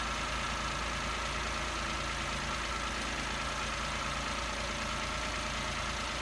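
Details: Toyota Aygo/Peugeot 107/Citroen C1 1KR-FE small petrol engine after replacing the noisy water pump (failed bearings), drive belt and pink antifreeze, idling to circulate coolant: even steady hum, no knocks or squeals; normal idle.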